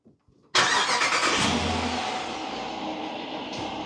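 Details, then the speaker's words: 2024 Dodge Durango started after an oil service step, to idle 15 minutes before the oil drain: quick crank, catches at once, flares then settles into a smooth, even idle with no ticking or knocking; normal start and idle. "All right. She sounds good. We'll be back in 15 minutes."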